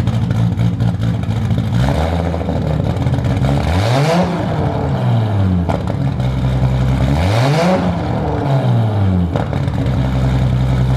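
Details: Toyota Supra with turbo, 4" stainless downpipe and exhaust, and remade 5" intercooler charge piping, running but not yet tuned: deep strong exhaust note climbing and falling cleanly through several revs, no knocks or rattles; normal revving.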